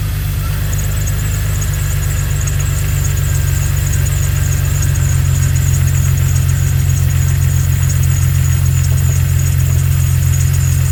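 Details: 2000 Jeep Cherokee XJ 4.0 after replacing the mechanical clutch fan, started to check for fan wobble; steady even low idle rumble, smooth rhythm, no knocks or flutter, no fan wiggle; normal idle.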